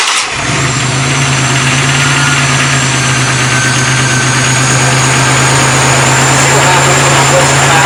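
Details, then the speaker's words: 1994 MTD Vari Drive yard tractor, 11.5 hp Briggs & Stratton flathead, revival attempt: steady droning crank with a slow, heavy turnover of about three beats a second; owner suspects a weak starter, unconfirmed. "But for now, let's just see what it sounds like. I think that starter is weaker than hell."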